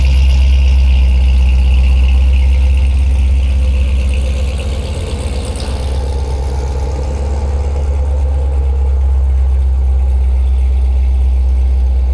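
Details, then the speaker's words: C7 Corvette with ESS supercharger and TSP 2-inch headers, first cold start after the install. A loud, deep, even fast idle that eases down after a few seconds, with steady firing; a normal cold-start fast idle. "Holy, that's loud. And it won't even, you can't even tell, I know, through audio, but it is loud."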